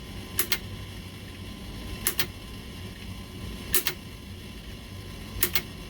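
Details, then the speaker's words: Alliance Tenna Rotor U-83 antenna rotator motor turning toward its end position: a faint steady hum with a sharp double click about every 1.7 seconds; normal running. "so here we are not totally done yet we hear the humming noise so let's get to the end position"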